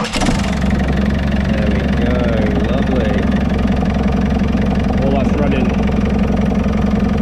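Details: JCB 526 diesel after fan belt refitted and new parts fitted; steady even idle with a low regular beat, no squeal or chirp from the belt drive: running fine, normal idle.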